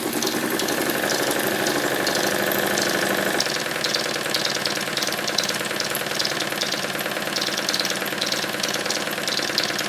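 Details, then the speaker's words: Stuart triple expansion model steam engine on live steam, cylinders still hot from the previous run so less condensate, started easily by rotating it; quick even chuffing about three beats a second with light clicking from the vacuum and water pumps; runs quite well. "The strange clicking noises that you can hear are from the vacuum pump and the water pump. it seems to run quite well"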